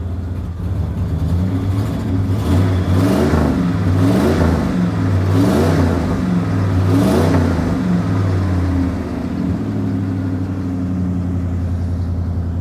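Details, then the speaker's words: Ford Econoline van, fuel-injected 302 V8, cold start, cat-back single glass pack with dual tailpipes: three smooth blips that settle to a steady, deep-burbling idle; healthy rev. "This thing has got one glass pack, like cat back. It goes from the cat, and then it goes to one glass pack, and then dual tailpipes. So it sounds pretty good."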